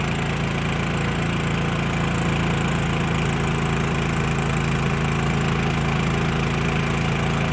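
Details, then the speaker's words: Champion 3100 dual-fuel inverter generator, economy mode, running a travel trailer's air conditioner (and then microwave). Steady, even drone with a slightly heavier hum as the AC compressor loads it, no hunting or misses; running normally under load. "So the generator is idled up now, but it's still running. The air conditioner and the microwave."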